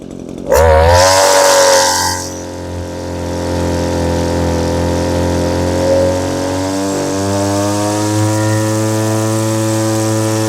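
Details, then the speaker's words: Old Echo curved-shaft string trimmer powerhead, small two-stroke: running rich ("two-stroking quite a bit"), so the high-speed mixture is leaned; a steady buzz whose pitch climbs smoothly, stopping short of max revs to avoid running too lean. "You'll hear the engine speed come up as I do that, but you don't want to go for your max speed because then you're running too lean."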